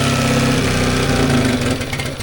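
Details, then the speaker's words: Mercury 9.9 outboard, sat two years, carburetor primed by pumping fuel: catches and runs rough and low, then the beat sags and it stalls; idle set too low. "Okay, it stalled out. That's good though. We got it started."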